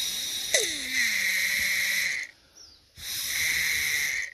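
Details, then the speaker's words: Hayward Navigator pool vacuum steering box reassembled after removing hair caught between the two steering gears: two even runs of steady high whistle, no grinding or skipping; gears turn and mesh normally. "so you can hear that gear turning in there"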